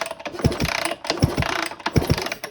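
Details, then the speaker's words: 1999 Honda CR125, reported intermittent spark, plug back in: paired low thumps from each kick, about one every 0.7 seconds, with no firing. The engine turns over without starting, and the coil is suspected. "I popped the spark plug back in the wire here, and I'll crank it over, see if we got any spark. I'm sure there's nothing though."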